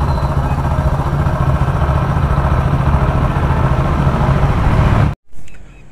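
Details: Hero Splendor Plus single-cylinder after engine repair for crank noise: steady, even idle with no knock or rattle, then it shuts off; the engine sounds fine.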